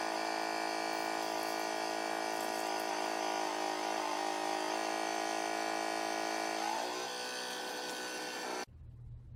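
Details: Waterpik water flosser running: steady high buzzing hum with a fine fast pulse, even until switched off; pump operating normally.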